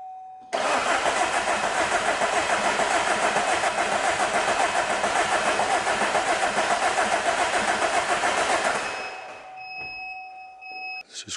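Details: 2010 Vauxhall/Opel Insignia 2.0 CDTI diesel after valve timing correction for P2282 fault, cranking with a sensor removed for in-cylinder scope trace: even cranking about three and a half beats a second for eight seconds, every stroke alike; healthy compression.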